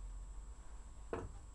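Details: Boiler/fridge wall pipe at night; quiet room hum then one sharp single knock about a second in — pipe knocking against the wall.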